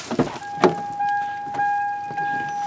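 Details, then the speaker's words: Dead battery: sharp single starter solenoid clicks every half second to second over a steady alarm tone, with no cranking. The flat battery is to be charged through the cigarette lighter with a Gooloo GF01 jump starter. "okay I think his battery is pretty dead you were hearing a solenoid click but that's about it"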